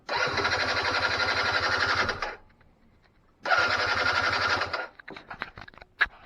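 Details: 2006 Keeway F-ACT 50 scooter two-stroke, revived after storage, premixed fuel, worn throttle cable; fires and buzzes about two seconds, cuts out, catches and fades; sputtering start, engine catches then dies, owner suspects diaphragm fuel pump needs to prime.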